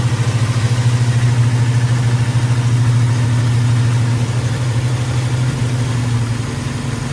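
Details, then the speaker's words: Chevrolet squarebody big-block V8 after repair, valve covers refitted and idle lowered slightly, showing 60 psi oil pressure at 1,400 rpm: a deep, steady, even rumble with no knocks or misses. Normal idle, running smooth. "Wow. 60 pounds of oil pressure, 1,400 RPMs, running smooth."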